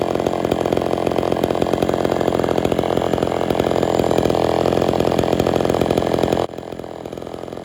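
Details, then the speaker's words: Homelite Super XL chainsaw after a cylinder rebuild and carburetor work, being tuned on the low and high screws and idle: a strong, steady high-revving two-stroke buzz with no stumbling, then a sharp drop to idle; normal running. "start adjusting the low the low screw start getting out to the high screw I've gotta do some idle adjusting a couple of more tweaks on the low screw"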